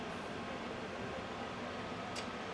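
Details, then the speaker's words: Jay Flight camper furnace after thermostat set to off: steady even airy whoosh with no rattles or surging; blower normally runs 60 to 90 seconds more to clear the combustion chamber and residual heat. "The furnace does run for an additional 60 to 90 seconds to clear out the combustion chamber and get any residual heat out left in the camper too."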